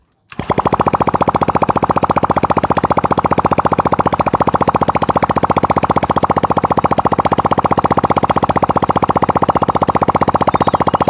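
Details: Honda Supra Fit single, exhaust off, after crankcase seal replacement and piston ring re-fitting for heavy smoking: catches and settles into an even, crisp putter around 220 a minute, no knocks, no smoke; fixed.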